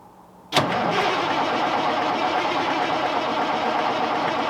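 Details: 1989 Kenworth K100E with Cummins Big CAM IV diesel, cold start at -6°C not plugged in, cranked briefly first to warm cylinders; short crank then fires straight up into steady even idle clatter, a little smoky: normal cold start.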